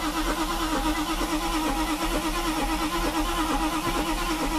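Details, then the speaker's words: Mercedes with rebuilt fuel distributor (eBay rebuild had glue inside, 3 of 8 cylinders dead, diaphragm replaced), air-fuel mixture screw badly off: steady cranking about one beat per second, no catch; long crank, no start from incorrect fuel mixture. "now my fuel ratio is completely off right now I see it I feel it actually it's just crazy off"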